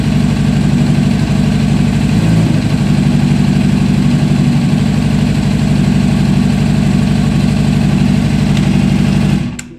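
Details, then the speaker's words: Honda CBR600 four-cylinder at cold idle, unstable; one cylinder reads about 45–55° versus about 80° on the others: lumpy idle with about three stumbles a second; misfire from a faulty ignition coil with a broken connector. "la vamos a arrancar a ver si me escuchan se escucha cómo está fallando vamos a dejar que se caliente un poquito y vamos a volver a chicar"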